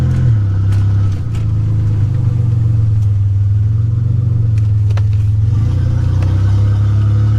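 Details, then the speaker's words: 1985 Nissan 300ZX Turbo (Z31) after new spark plugs and wires and replacing a torn charge-pipe hose that caused misfire under boost: loud exhaust holds strong, even pull with no stumble or popping; normal boost under acceleration. "i just swapped it to a new piece of hose put the clamps back on it and boom we got a boost now"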